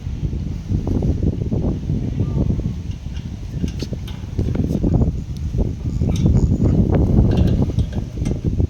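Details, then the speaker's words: Thermal fogger before repair, hard starting with air bubbles in fuel line: low ragged popping surging and sagging unevenly, never steady; tiny fuel jet clogged by fibres from degraded 95-octane fuel filter, starving fuel, fix is removing and cleaning jet. "รูนมหนูเนี่ยมันเล็กมากมันก็เลยดูดน้ำมันเนี่ยเข้าเครื่องไม่เต็มที่ทำให้สตาร์ทยาก"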